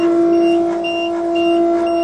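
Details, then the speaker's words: Truck-based dump truck's electric fuel pump buzzing steadily at key-on with the engine off, after an attempted repair of the wiring fault behind the wrecked pump; fresh fuel added and not started since March. The even buzz shows normal priming. "listen to the fuel pump when I turn the key on hear that buzzing"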